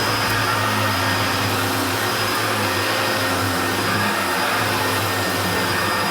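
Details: Hoover Turbopower Junior U1222 upright vacuum, little-used example that had seized on its pivots, running: steady, even motor roar at constant pitch, no grinding or rattle; sounds better than the other U1222, normal running.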